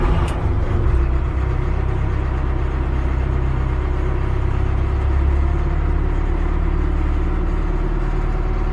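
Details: Cat 215 excavator after brake seal replacement on the leaking gearbox, refueled: steady low diesel rumble with an even beat and no knocks or misses, settling into a clean, normal idle.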